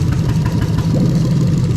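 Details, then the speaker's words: Toyota Sequoia 2UZ-FE non-VVT-i V8 on a rebuilt manual harness with remapped ECU, idling with one injector unplugged during a one-by-one test: a lumpy idle with a regular stumble where a cylinder drops out. Deliberately induced misfire; no fault codes afterwards. "the little hesitant misfire every now and again nothing wrong with it you'll see when I pull the injectors out it's going to misfire properly every single time"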